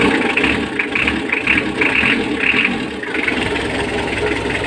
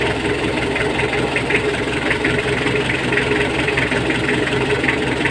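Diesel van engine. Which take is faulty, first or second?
second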